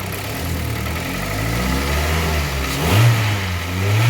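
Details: Kia Sportage 3 at 122,000 km, warm after service (oil Shell 5W30 to NGN 5W40, throttle body and injector cleaning, new oil and air filters, partial ATF change): smooth idle, clean blip; dull metallic knock gone; timing chain due for replacement.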